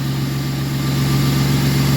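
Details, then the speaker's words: Ford Mustang 40th Edition at a Copart yard, first start-up: smooth, even low rumble at idle with no stumbles or misfire. Engine appears well maintained. Normal idle. "she runs smooth too she runs really really well huh"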